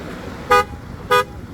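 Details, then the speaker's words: 2023 BMW X1, 2.0-liter four-cylinder, 241 hp, 7-speed automatic, all-wheel drive; two short sharp horn toots about half a second apart over quiet street noise, warning that the key fob is not near the vehicle. "Going right through here is telling me the key fob is not near the vehicle."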